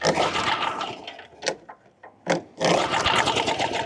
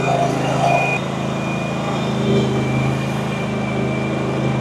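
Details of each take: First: Push mower that hadn't run in years, given starter fluid with no gas in the tank: the engine catches in short, ragged bursts and smokes badly, then cuts out and won't keep running. Firing only on starter fluid. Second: RedMax CZT54X zero-turn mower, previously cutting out under throttle, after intake removal and repair work: a steady, even full-throttle drone with no surging or cutting out until shut off. Now running normally.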